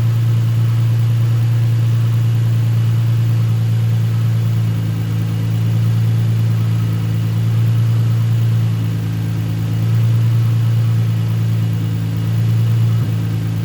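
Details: Nissan 350Z after fix: steady, even engine hum with gentle rev rises and no skipping or popping. A cylinder four misfire code was traced to a bad spark plug after coils were swapped. Still smoky from burning oil.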